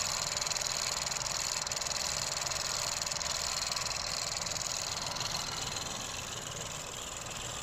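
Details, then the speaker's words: Ford Focus 1.0 EcoBoost after an engine rebuild for a damaged No. 3 piston, with new pistons and shaft: quiet, even idle with a regular pulse and no knock. Normal idle, though the turbo shaft is damaged from low oil pressure and needs replacing. "يعني صار صوت المحرك طبيعي. طبعا هلا المحرك شغال، ما في صوت"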